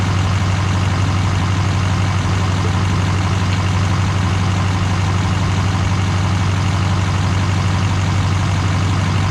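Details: GM LMM Duramax diesel truck after engine replacement and reassembly: steady, even diesel clatter at idle with no misses, knocks or surges; engine sounds healthy and idles smoothly.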